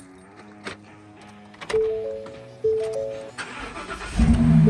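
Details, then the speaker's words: 2019 Ford F250 Super Duty, after battery charge, charging check and cleaning terminal corrosion: dash chimes, short crank, diesel fires at once into strong steady rumble; normal start, no-start fixed. "Fires up like a champ. Awesome."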